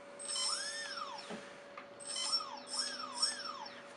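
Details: Brushless motor on an X-Wing ESC with a 3-cell battery, just after throttle calibration: a clean whine sweeps up and falls back in quick throttle blips, smooth and even, so the motor spins normally.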